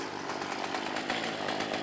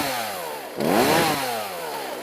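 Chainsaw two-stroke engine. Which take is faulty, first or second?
first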